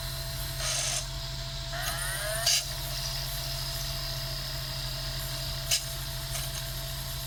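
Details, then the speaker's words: Sega Dreamcast GD-ROM drive with slow loading and read failures, suspected failing capacitors: quiet whir as disc spins up, then short repeated seek clicks without settling, console showing "please insert a game disc". "Alright, so it has checked the disc, and look, it's going to say please insert a game disc. If you listen, you can hear it. It's going, and it's making that constant little ticking sound."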